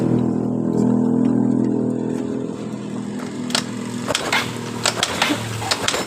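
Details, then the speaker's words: Yamaha Mio Sporty scooter that sputtered then died completely, vacuum system checked: engine hums briefly then fades and dies after about three seconds when throttle opened. "ketika kita tarik gas motor itu langsung mati coba kita hidupkan kembali dan tanpa menggunakan dari per"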